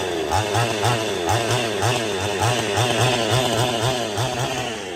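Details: Husqvarna 55/51 hybrid chainsaw being rebuilt: crisp regular two-stroke popping as throttle is blipped, picking up cleanly each time; normal running.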